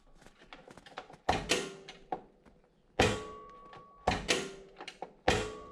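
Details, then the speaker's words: Toro TimeCutter zero-turn mower, key on, PTO switch pulled up: several sharp clicks and thunks from the rear as the PTO clutch engages, showing the PTO switch is good. Normal engagement click. "So to test your PTO switch right here, you're going to want to put the key in, turn it on, and then when you pull this up, you should listen for the click."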